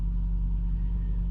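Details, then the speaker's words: BMW E53 X5 M54 straight-six idling smooth and even after repair of a rough-running misfire with check engine light, codes erased and rescanned; running silky smooth, problem solved. "she's running silky smooth just like a m54 should do problem solid"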